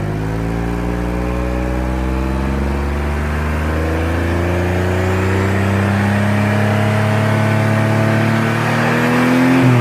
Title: 2002 Audi allroad 2.7 twin turbo exhaust leak in drivers flex pipe